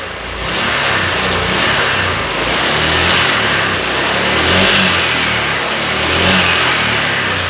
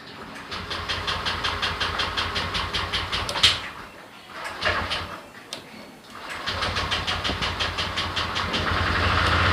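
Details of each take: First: Honda Click 125i scooter that was hard to start and bogged on throttle, after cleaning and blowing out the injector and resetting: clean, even revving that rises and settles smoothly with no stumble; engine now runs normally. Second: Honda Click 125i scooter hard to start and won't accelerate, dying when throttled; engine churns with a slow even pulse, stops, churns again without catching cleanly.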